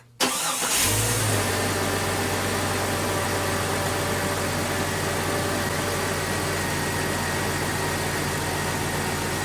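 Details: 1999 Jeep Cherokee XJ after power steering pump replacement and fluid refill: engine cranks, catches quickly and settles into a steady, even idle with no knocks, ticks or whine; normal idle.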